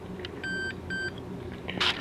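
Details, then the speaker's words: Late-1950s West German Grundig 3035W valve radio during repair, multimeter continuity test on a valve socket pin: two short, steady high beeps; the pin has a continuity path to ground through a capacitor. "So, this is a ground. So, it being shorted to this one automatically runs through the capacitor back to this one. That's why it beeps."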